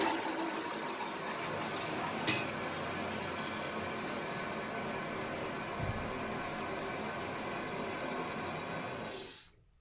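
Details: Toilet cistern after replacing worn, ripped rubber diaphragm washer in fill valve: steady strong rush of water refilling quickly and cutting off cleanly when full; previously refilled slowly as a trickle.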